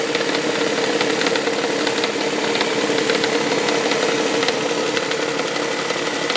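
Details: 1999 Toyota Sienna petrol engine, knocking since six NGK iridium plugs and an oil change: light, uneven tapping, roughly three a second, over a steady hum, like something hitting the valve cover; also heard near 2300 rpm; cause unconfirmed.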